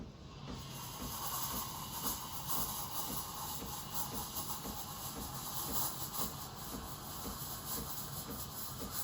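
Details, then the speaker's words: Breville Barista Express BES870 steam wand frothing cold full-cream milk with the tip near the surface: steady loud hiss with fast, uneven sputtering chirps as air is injected, which stops when the jug is raised. "That hissing noise means that you're injecting air into the milk, and when you raise the jug, you stop injecting air and the noise goes away."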